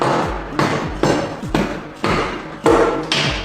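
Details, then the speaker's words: 2021 Yamaha R1 CP4 engine with knocking and hard starting, partly torn down: sharp metal taps on the rods. Cylinder 1 rings loose from a completely worn, spun rod bearing caused by a clogged oil pickup, with metal debris in the strainer. "You can clearly hear that this rod bearing is completely worn out. Initial assessment points to an issue with Cylinder 1."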